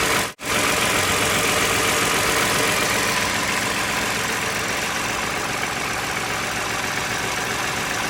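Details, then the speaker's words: 2011 Toyota Sienna engine after water pump replacement (pump removed, surface cleaned, new pump installed); previously noisy, now a steady, even idle with a smooth hiss and no knocks, ticks or whine. Normal idle. "installed the pump in reverse order and there is no more noise"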